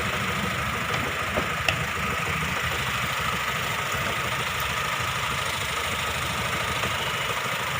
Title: HONDA MISFIRING